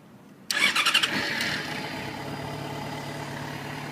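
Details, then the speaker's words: 2008 Yamaha FZ6 with about 6,031 miles, maintenance kept up to date: brief starter whir, fires within half a second and settles into steady even idle; clean healthy start. "So it turns right on. Transmission's great, clutch is good."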